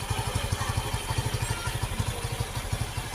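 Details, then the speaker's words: Easyride 150N single-cylinder motorcycle idling after replacing the dirty stock air filter (suspected cause of sudden stalling) with a Suzuki-type filter: steady thump about two beats per second, no missed beats or stumbles; misfire gone, normal idle. "Ah, wala na palya. Hindi na ito mapahiya nito."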